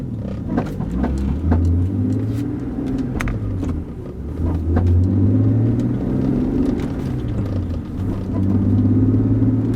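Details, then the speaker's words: BMW E46 driving in first gear under load: irregular thumps from the rear over a low engine drone, also heard in fourth; caused by cracked rear subframe body mounting points, with differential bushings as the other suspect. "But first gear, you're just it's torquing that uh differential box so much it's it's uh it's making the noise. So this is kind of what that thump people are talking about sounds like."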